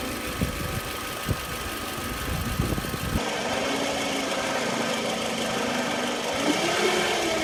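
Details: 2009 Toyota Camry LE, 2.4L four-cylinder, idling: a thin, steady whine over the engine from a failing alternator. The alternator was replaced after this recording.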